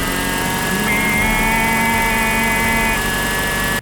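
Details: 1988 Toyota 4x4 van engine whine: steady high whine over the running engine, isolated to a worn alternator bearing, first suspected as the water pump; alternator serviced afterward.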